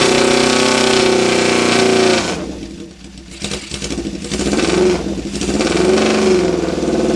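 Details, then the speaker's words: 1972 Honda CB750 K2 four-cylinder, 14,061 miles, straight pipes, owner suspects fuel starvation from petcock screen: revs crisply then settles to even idle, no piston slap or valvetrain noise; normal running engine. "motor sounds nice and tight I don't hear any piston slap or any valve train noise and nothing quite sounds like a CV 750 with straight pipes on it huh"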